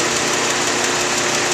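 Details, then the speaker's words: 2004 Nissan Maxima 3.5 VQ, timing chains and tensioners replaced 3 weeks earlier, warm after an hour, idling with the hood open: fast, light, even ticking up top; owner suspects lifters or valves, unconfirmed. "that's the sound I'm getting at idle the car's warmed it's been run uh for an hour or so now the um fans off you can hear it to me it sounds like it's the upper valve train whether it's the uh lifters or valve"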